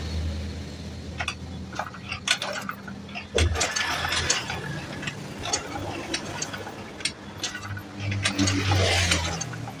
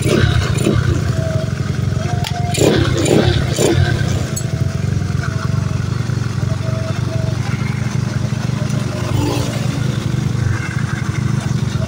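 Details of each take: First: Carbureted Honda Beat scooter with lost ignition, cranked on the kick-start while checking spark at the coil lead: ratcheting cranks turn the engine freely but it never fires. No spark. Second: Carbureted Honda Beat scooter that came in with lost ignition, started after coil-area ignition repair: the single-cylinder starts immediately and putters evenly at about four beats a second without stumbling. Ignition restored.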